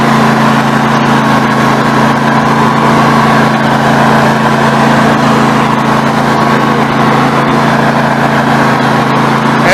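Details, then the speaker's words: Snapper NXT 25-48 riding mower engine after carburetor replacement, warming up: steady mid-speed run with a fairly even beat but a faint stumble now and then; occasional misfire, cause not pinned down. "we will turn today countless got a little Miss good every now and then might be a Florida girl"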